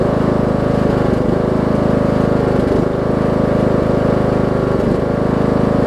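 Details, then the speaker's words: Briggs & Stratton 18 hp Intek single on Troy-Bilt Bronco with Chinese Nikki-copy carb, low-side jet drilled out, low fuel in tank: steady thrum dipping about every two seconds; mild engine surging, lean, expected to ease with a full tank. "I think once somebody puts a full tank of gas in it because I don't really have a ton of gas in it right now I probably fill it up though about right there I think some of that surgeon will go away because even before I drilled out the low-side jet it went away a little bit whenever I put more gas in it"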